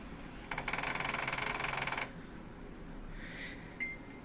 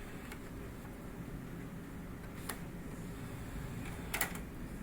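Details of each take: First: so my Xbox One apparently has that grinding issue that a lot of people have been complaining about regarding the drives Second: Xbox One after the "tap the drive" fix: a low, steady drive hum with a few light clicks as the disc loads, and no grinding. The fix is considered likely temporary.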